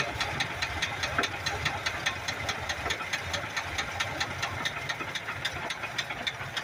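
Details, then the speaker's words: 1982 Ford F-100 with 3.8L V6, carbureted, three-speed column manual, hood open at idle after fixing a carburetor fuel leak; sharp regular knocking two to three times a second over a steady idle from the bottom end: rod knock. "I'm going to start it up it's got a rod knot so you you'll hear it Knocking but I already have the hood already propped open"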